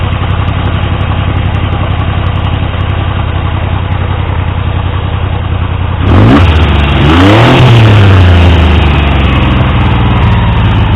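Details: Triumph T150V triple, rebuilt top end after head and cylinders came off for oil leaks; started on the 2nd kick. Steady, even idle, then quick clean blips. Oil pressure ~70 psi revving, ~40 psi under 2000 rpm; no leaks; normal idle and revving.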